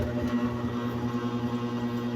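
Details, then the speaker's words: Electric fan on a 220 V outlet: steady electrical hum with a faint pulsing beat, and the blades won't spin or turn only slowly. The motor bushing is seized; once hot the fan may run and then stop again. "ito ang madalas na problema ng isang electric fan 80% po umuugong lang ayaw umikot ngayon Subukan natin plug ko siya 220 volts outlet yun mga ka man no dinig niyo po ba umuugong lang ayaw umikot"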